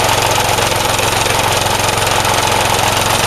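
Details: Vintage Craftsman 18" snowblower, rebuilt 3.5 hp Briggs single-cylinder, just cold-started: at full throttle an uneven, rough, hunting beat that stumbles; owner says the carb needs adjusting.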